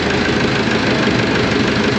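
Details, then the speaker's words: Auction roller diesel after a complete rewire, idling with 60 lb oil pressure, no exhaust leaks and throttle set right: steady, even clatter with no misses, knocks or surging. Healthy normal idle. "that's an Idle No exhaust links got lights man I think our throttle wage is about Perfect all right"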